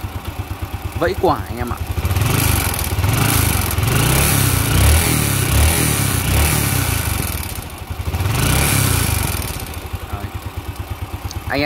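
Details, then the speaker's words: Motorbike quiet at idle: as the throttle opens, a light metallic clatter rises with the revs and settles back at idle; piston knock. "khi chúng ta gài lên là bị quả nó bị vẫy gõ tức là gõ quả mới gọi là gõ quả đấy gõ quả gõ ác luôn"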